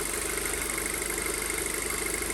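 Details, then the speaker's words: 2007 Audi A4 2.0 FSI, 141K miles, after engine rebuild for low oil pressure: steady, slightly fast idle with no misfires; owner suspects purge flow system and ECU still recalibrating; normal idle, sounds good. "so it could just be that the purge flow system and ecu are recalibrating getting everything going but it sounds good so you sound great"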